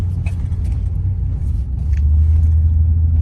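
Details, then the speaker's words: 2008 Toyota Tundra SR5 with a clicking noise only when all-wheel/4WD is engaged and no trouble codes. Rolling slowly in the parking lot in 2WD, there is only low, even road rumble with no clicks. Normal drive, no clicking in 2WD. "so now let me disengage the front wheel drive or maybe an all-wheel drive now let me drive it in the parking lot you see no noise here no noise I mean no noise"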